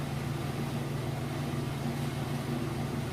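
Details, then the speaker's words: Maytag Centennial heavy-duty Super Capacity Plus top-load washer, tested on a warm super load: even low hum with a soft steady rhythm, no thumping or banging; it spins fast, balanced and healthy. "open that up it is spin a nice and fast four slits which works"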